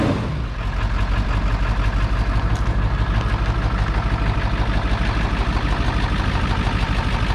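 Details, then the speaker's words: Ford 7.3 Powerstroke diesel first start in a year after turbo rebuild, new injectors, glow plugs and wiring, refuelled; deep steady clatter about three beats a second with no misses, sounds normal idle; boost leak noted. "Dude, now that kind of sounds normal. Huh? That sounds kind of normal right now."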